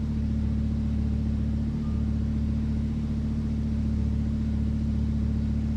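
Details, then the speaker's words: Wrecked Lamborghini Huracan under rebuild, started after swapping the engine control units and priming the fuel pumps, run briefly without coolant: deep, steady V10 idle with an even, smooth beat and no knocks or misses; running cleanly. "I'm really happy the car started. I can't run it for that long. It has no coolant in it."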